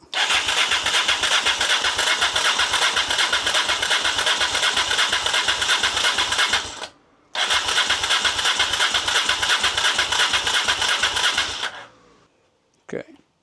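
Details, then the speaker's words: Rebuilt Honda Africa Twin at first start attempt with a temporary fuel supply and a bit of choke; no fuel pump heard, and the starter churns steadily at about three compressions a second without firing; the oil pressure light goes out. "No go. All pressure light's gone out, that's good news. No go for now."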